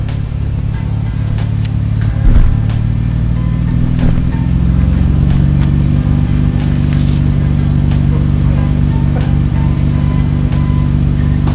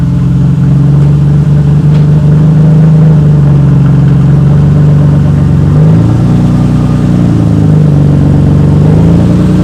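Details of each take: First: 1991 Nissan Skyline GTR R32 inline-six with its Jasma exhaust freshly repaired and refitted after running without the muffler; smooth, even drone with a throttle blip, no rattles or leaks; normal exhaust note. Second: 1991 Nissan Skyline GTR R32 at startup, exhaust partly cut away after accident damage, no muffler: a loud, raw engine holding a low rumbling idle with a brief blip.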